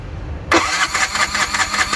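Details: Bajaj single-cylinder motorcycle, first start after a full engine overhaul (the cylinder bore had worn wide, causing a rough exhaust sound): the engine catches after half a second and settles into a quick, even putter with no knocks or rattles. Clean start.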